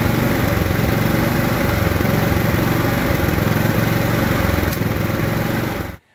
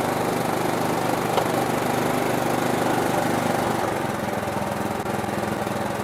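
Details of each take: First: Riding lawn mower engine running terribly before carburetor rebuild: won't idle, backfiring; uneven chugging with stray pops then quits; dirt in carburetor suspected, to be cleaned with new gaskets and seals. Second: Riding lawn mower after carburetor cleaned and rebuilt with new gaskets and seals (previously wouldn't idle, backfired): cranks a few seconds longer than usual to fill empty fuel bowl, then catches and settles into steady, even idle; normal cranking and starting.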